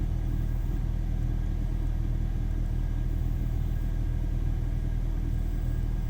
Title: BMW E46 318i N46B20 Engine Sound at Cool Startup (MAF Problems)